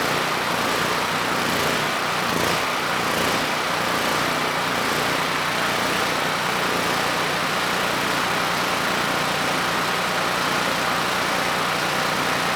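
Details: Generac GP5500 generator (low compression) back on its first carburetor with the vacuum leak and fuel leak (O-ring) fixed; started first pull, choke off after about 10 s, under a 1500 W load: steady, even drone, no surging or misses, running smooth.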